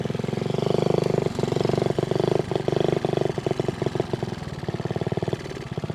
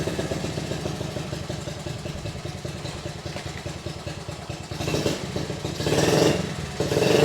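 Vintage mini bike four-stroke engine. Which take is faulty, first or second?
first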